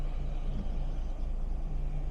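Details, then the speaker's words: 2012 Fiat 500 Pop Cabrio with the electric soft top closing all the way to the front, passing an intermediate stop point. A steady, even, low electric drone with no grinding or straining means normal soft top operation. "and it comes all the way to the front actually there's another point you can stop it there uh to have almost like a sunroof effect for the driver"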